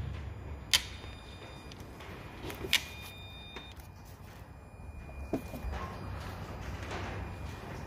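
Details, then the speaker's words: 2008 Peugeot 308 with depollution system fault and codes P0489, P1162, P0405; sharp single clicks about every two seconds in a quiet engine bay as the EGR valve is actuated by a diagnostic tool; EGR valve motor found to work only intermittently. "I believe that noise came from here. I can hear it clicking, I'm just trying to feel where it is. Seems like this unit here."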